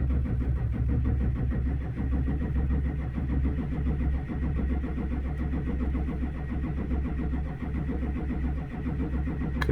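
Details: 2004 Chevrolet Silverado 2500HD 6.6 Duramax, towed in, cranks no start, no codes; scan shows no fuel rail pressure. Steady even starter cranking, no cylinder catching; fuel system lost prime from leak on tank-to-engine suction line, fixed with new 1/2" fuel hose.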